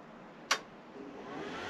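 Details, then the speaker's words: Truma Combi caravan boiler at switch-on: a sharp click, then a faint fan whine rising in pitch as the faulty combustion air fan struggles to start, followed by Error 6 and no hot water; a low gas supply was ruled out. "so what happens is you turn it on as normal and you heard it clicking and you'll hear this fan far up in a"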